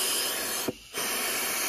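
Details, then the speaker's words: Automatic transmission air pressure check: steady high hiss of air escaping, briefly cut off, then back; internal leak in forward clutch apply circuit, which would cause delayed engagement into gears. "so there is a uh a leak somewhere with the application from this port to the forward clutch so if you had a leak within this hydraulic circuit that you're hearing and it's not blowing the air back out then you would have a delayed engagement into uh four gears"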